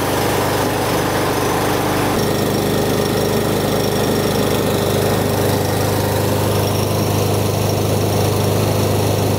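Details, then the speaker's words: Yardworks lawnmower with Briggs and Stratton engine, after the customer complained of kickback and a weird noise at startup; blade and bolt reinstalled. Mower catches straight away and holds a steady, even drone without knocking or scraping, so no sheared flywheel key or internal damage. "So that's all it was, guys. I'm glad it wasn't a sheared flywheel key or more internal damage to the engine."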